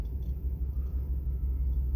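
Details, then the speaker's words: 2005 or 2006 Dodge Dakota rolling at about 5 mph: deep steady growl while barely moving that stops when the truck comes to a stop, a rolling-resistance noise suspected to be a worn front wheel hub bearing. "so y'all i'm barely going five miles an hour y'all hear all that wow guys oh no no no no no no we will not be test driving this see when i come to a stop the noise go away"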